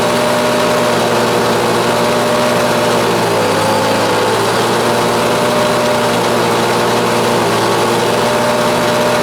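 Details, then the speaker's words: LawnBoy 4652 mower, bought blind as a runner with a snapped pull cord, runs with a steady low drone and a slight dip and no crisp note; good compression, but the owner suspects it is running a bit rich. "Definitely got good compression, but I'd say it's running a bit rich."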